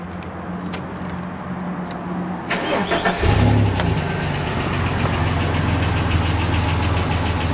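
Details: Ford EF Falcon XR6 inline-six idling with a light, fairly regular ticking/flapping noise, worsening and sounding mechanical, apparently from the flywheel/gearbox/extractors-cat area under the car; owner first suspected exhaust leak; pace rises with speed.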